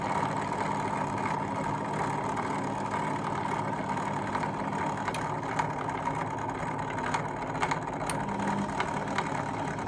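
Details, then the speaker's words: Fagor Innovation FUS 6116 IT integrated washer dryer: motor cooling fan, previously stuck, possibly sticky bearings, freed by a push. Now an even, constant motor hum with a steady mid tone, no scraping or grinding, drum turning freely; normal drum rotation. "So it must have been stuck somehow with something, I don't know what. It wasn't spinning, and I just gave it a bit of a push. That freed it up."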